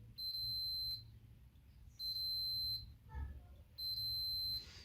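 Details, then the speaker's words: Logitech G910 keyboard key switch tested for continuity while pressed slowly; three high continuity beeps dropping out between presses, showing a dead spot partway through travel, plus double taps. Switch physically faulty; keys register double. "it there's a dead spot in between let's go to the e you know what it does don't quit now"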